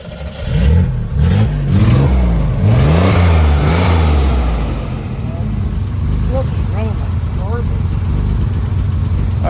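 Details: Old junk car bought from a field and being fixed for a 1,000-mile drive home: revs hunt unevenly with a ragged, stumbling exhaust beat. Running rough; owner suspects a fuel problem, unconfirmed.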